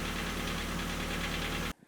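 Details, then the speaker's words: VW Golf 2 engine after overhaul, knock worst when cold: steady idle with a fast, even, light ticking knock; service found slight camshaft play as the cause, engine flushing did not help. "значит заехал я в сервис и ребята обнаружили У меня небольшой такой люфт распредвала из-за которого собственно стук и шел"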